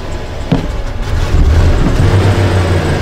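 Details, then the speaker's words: 1997 Chevy with low power and check engine light, fuel pressure problem suspected: engine rumbles then swells slowly as throttle opens, with popping through the intake and a delay in revving; hesitation consistent with low fuel pressure. "When you hear popping through the intake, I want you to get a shot of my foot on the gas pedal so you can see the delay in the way this thing revs."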